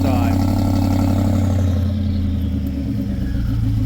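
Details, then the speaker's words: BMW X5 at cold start, in limp mode: deep, loud, raspy drone far louder than stock, like a race muffler despite a fitted muffler; sounds like catalytic converters are removed. "exhaust sounds like it had a muffler. It has a muffler on it. Why is it so sounds like a race muffler?"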